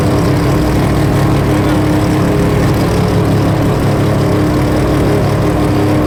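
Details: Three-rotor RX-7 running after its first start: steady, dense, buzzy drone with constant pitch and no misses or knocks; running smoothly.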